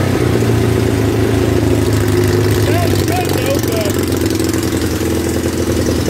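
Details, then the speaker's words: 1976 Yamaha motorcycle, idling on its own after starting: steady, even idle with a fast regular putter, no knocks or misses; normal idle. "what do you guys look at that sound pretty good I think that's the first time you guys heard it run by itself oh that's awesome"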